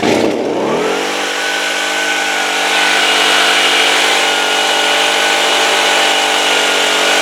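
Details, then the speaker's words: Stihl blower after carburetor replacement, previously dying after starting: catches and climbs to a steady, crisp high-pitched scream at full throttle with no surging or bogging; high speed runs well, idle still to be adjusted. "all right guys that sounds good right I'm gonna adjust I'm gonna do some final adjustment on the idle but the high speed sounds good after I adjust it up and I think we should be okay with that"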